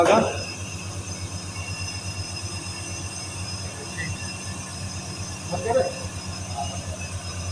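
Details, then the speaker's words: Package AC unit running: a thin, steady, high-pitched squeal over a low hum. A failing bearing is making the noise, and it needs to be replaced with one of the same number. "ये आवाज कर रहा है इसका देख बरिंग कितना number है लाके चेंज करना पड़ेगा"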